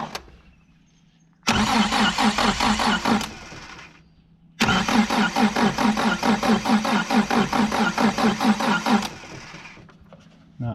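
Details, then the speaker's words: 1973 Chrysler Galant that sat 26 years: two spells of steady starter cranking, about two turns a second, with no firing. Cranks but won't start, no spark; about 12 volts at the coil positive, and the owner suspects dirty points. "no spark about 12 volts the positive side of the coil still so be those points"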